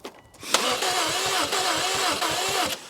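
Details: Subaru STI that has sat about two years, cranked on a jump pack; owner hopes engine heat will unfreeze it and says the motor sounds a little odd: even quick starter chug, never catches; crank, no start; starting fluid considered.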